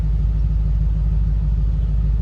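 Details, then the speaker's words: 2012 Lincoln Navigator 5.4 V8 after replacing the bank 2 cam phaser solenoid and driver-side valve cover gasket for code P0019 and cylinders 5-8 misfire: steady, deep, even idle rumble, no stumbles or skips. "we got the misfire and the startup just because the the solenoid was uh empty. So once it got filled with oil, it started working fine."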